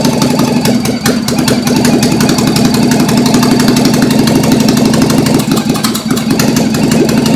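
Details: Toyota AE86 with a 4AGE 20V black top swap on a Haltech ECU, running after its first start. Loud lumpy idle with an uneven, stumbling beat and occasional missed pulses through the open intakes. A slight misfire; the plugs were wet, new plugs are planned, and oil pressure was a little low.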